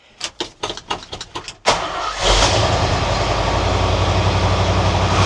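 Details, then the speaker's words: 1978 Ford F100 that sat over a decade in a field, after choke blade adjustment and before timing: about eight slow cranking pulses, then it fires and settles into a steady but fast high idle; smoke from driver's side exhaust. "That's not bad. The fire is right up now and it's idling. Idling high, but it's idling."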